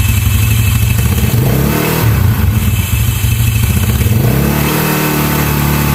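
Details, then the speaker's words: Yamaha Mio scooter idling after fitting a local aftermarket starter one-way clutch: fast, busy metallic rattle, loudest at idle, caused by its overly stiff spring; fix is trimming the one-way spring. "Jadi karena per tersebut ya, karena per yang cukup keras tadi akhirnya menimbulkan suara yang berisik tadi ya teman-teman dan ini benar-benar risih sekali ya dan saat langsam ya apalagi saat langsam ya atau stasioner ini sangat berisik sekali"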